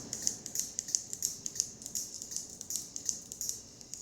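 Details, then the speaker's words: Modified Elegoo robot kit with a spinning weapon, upgraded from a 3 A MOSFET to a 20 A relay: sharp, light, unevenly spaced clicks at about three per second in a quiet room, the relay switching normally. "If you hear the clicking, you know what that means. There is some kind of switch. Yeah, we've upgraded from a 3 amp MOSFET to a 20 amp relay."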